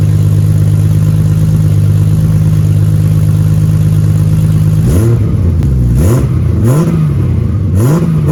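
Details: BMW E36 with stock unopened M52 turbo build, new exhaust with muffler but rear section unfinished, microphone behind the car at the exit: smooth deep idle for five seconds, then quick blips rising and falling cleanly; healthy.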